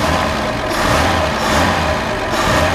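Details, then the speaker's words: Chevrolet Caravan SS with rebuilt Opala six-cylinder engine, after replacing worn crankshaft and camshaft timing gears (front noise) and piston rings (smoke): first start after repair, a smooth, very quiet idle with no front whine or knock, and smoke gone. "nó ficou silenciosa demais que loucura hein a cara de alegria do menino lá Que loucura cara muito silencioso"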